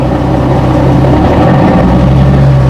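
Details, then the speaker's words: Nissan 370Z at almost 200,000 km that earlier made a knock louder than the usual noisy-lifter sound; now it idles smoothly with a steady, even hum and no knocks or ticks, and the reason is unknown: normal idle. "making all the right sounds, so I don't know what's happening."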